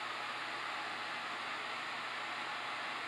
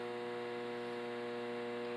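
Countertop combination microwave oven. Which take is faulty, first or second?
second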